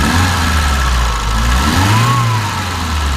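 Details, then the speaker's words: 1971 BMW 2002 (E10) four-cylinder, carburetor with new accelerator pump: engine revved briefly, rising and falling smoothly and evenly with no knocks; runs smooth, mechanically sound. "you know sounds good drives good and um mechanically it's an awesome shape"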